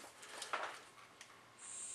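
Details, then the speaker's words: Bernzomatic butane soldering iron: several sharp igniter clicks before the gas catches with a steady hiss; takes a few tries to light. "there we go takes a few tries"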